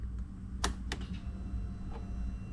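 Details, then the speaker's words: 2017 Can-Am Defender HD5 no-start, key on: faint steady low hum with light clicks as fuel pump primes normally; fuel delivery not yet confirmed. "I do hear fuel pump. So, the fuel pump's coming on, but we still don't know if it's getting fuel."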